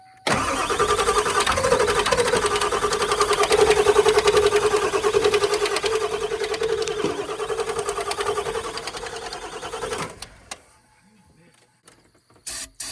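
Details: Ford Powerstroke diesel truck just after swapping driver's side injectors from a donor truck; steady starter cranking with an even chug about three beats a second for ten seconds, never catching: crank no start, possibly a previously rebuilt engine.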